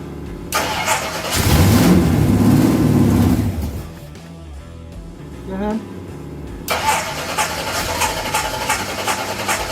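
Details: Ford Pinto drag car after Holley carburetor rebuild and new plugs: starter cranks, engine catches briefly with a rough roar, then dies within about two seconds and won't hold an idle.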